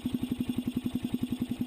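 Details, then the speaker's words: 1988 Suzuki Quadrunner 300, cold weather around freezing, hard cold starting, choke repaired, no air cleaner fitted yet: even steady single-cylinder thump about eleven beats a second; choke working, normal idle. "all right so i can tell we got the choke issue fixed already and there might not be any other issue"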